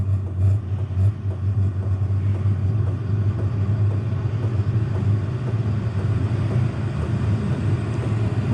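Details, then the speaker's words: Van diesel heater on first start-up: steady, even low roar settles in as the flame kicks on and holds, intake air blowing stronger, slight factory-chemical smell expected on first burn; starting up normally. "now. I kind of hear like the flame kick on. The air intake here is blowing a little bit more substantial."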